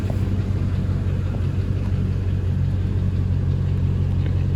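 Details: 2002–2004 GMC/Chevy 1500 4.8L V8, two-wheel drive, with P0300 random misfire traced to a bad ground, with the grounds loosely fitted as a temporary fix: low, steady idle rumble with no stumbles or missed beats, running smoothly.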